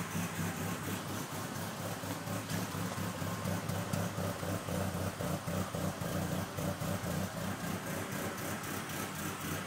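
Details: Engine misfiring only at idle despite new spark plugs and wires and a cleaned EGR valve: uneven loping idle stumbling irregularly about three or four times a second; cause unknown.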